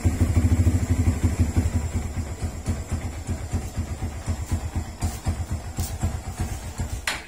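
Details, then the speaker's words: Motorcycle with hard starting that stalls in traffic when braking, after fitting a new Motaro tri-electrode spark plug: uneven loping idle that fades and dies; plug not the cause, owner suspects carburetor needing tuning and tune-up. "namamatay talaga siya ah ayun nga guys ah kinabit natin yung motaro na spark plug pero ganun pa rin hard starting pa rin siya"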